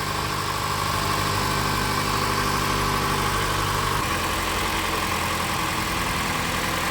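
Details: Mitsubishi ASX petrol engine idling smoothly with a steady low hum and no knocks or squeals. It had failed to start on a 10.36 V battery, and after a swapped-in battery it starts and charges at 14.62 V.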